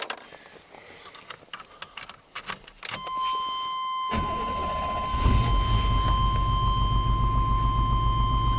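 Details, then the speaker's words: 1991 Chevy K1500 V8 running during a compression-waveform test with a pressure transducer fitted in one cylinder (cranking compression about 185 psi, healthy). After a few seconds of cranking it catches and settles into an uneven, stumbling idle with a single-cylinder misfire. "He's got a single cylinder misfire now, of course."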